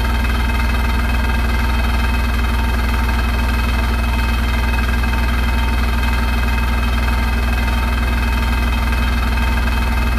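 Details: Hotpoint NSWR843C washing machine on final fast 1200rpm spin: heavy steady low roar with a fast even rattle; something loose or worn, source unclear; rattling really loud.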